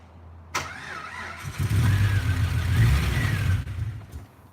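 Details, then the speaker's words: Rebuilt fuel-injected engine given starting fluid: the starter cranks, then it catches about two seconds with uneven low firing and dies. Crank-no-start; a fuel problem is suspected before a fuel rail pressure test. "that's a good time guys so that is kind of it's an indication that we have a fuel problem on white wouldn't start last time squirting a little bit of starting fluid in there starts up"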